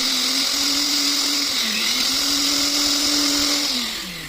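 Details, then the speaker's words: Preethi Blue Leaf mixer grinder with a heavy motor, after worn bearing and bush replacement and cooling fan refitted. Smooth, even motor hum with no grinding or rattle, then winding down; it runs perfectly. "ಪರ್ಫೆಕ್ಟಾಗಿ running ಆಗ್ತಾಯಿದೆ ನೋಡಿ."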